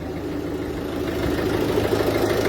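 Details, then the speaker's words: Mini Cooper 1.6 HDi diesel idling after injector seal replacement: smooth, even idle with a soft steady hum, no ticking or knocking; normal, fully operational. "on a un geek un bruit parfaitement fonctionnel opérationnel normal il n'était"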